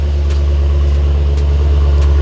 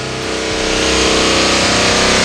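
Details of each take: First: Hemi V8 just after an engine swap, with the lash adjusters still pumping up: a deep, steady, even exhaust rumble at idle with no misses or knocks. A normal, healthy idle; the ticking is expected to go away. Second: Chrysler Hemi V8 after engine swap, 0W40 synthetic oil: revs rise with a light regular tick about four a second from lifters not yet pumped up; nearly quiet already.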